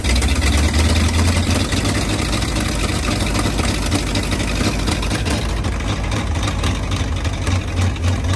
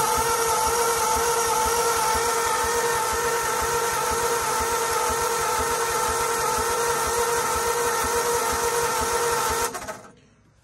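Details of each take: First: 1939 Ford 1.5-ton truck, flathead V8 parked about 65 years (bad head gasket, water in oil pan), new intake gasket and condenser, wired directly to battery: deep loping burble, slightly uneven beats, settling in; runs pretty good, carburetor a little weak. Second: 1939 Ford 1.5-ton truck, flathead V8, parked 65 years after bad head gasket, water in oil pan, stuck valves: steady even cranking about three and a half beats a second with starter whine, plenty of compression but no firing; cranks, won't start.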